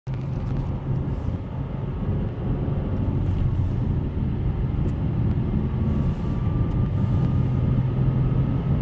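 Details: 2008 Subaru Outback Touring 2.5 non-turbo, 5-speed manual, accelerating in third gear: a faint, thin, supercharger-like whine rises over road rumble only on throttle; suspected gearbox whine.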